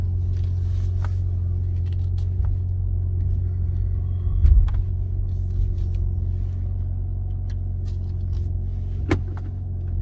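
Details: BMW M3 G80 with a low steady engine rumble broken by a few sharp, isolated pops while slowly backing up: a popping sound when reversing.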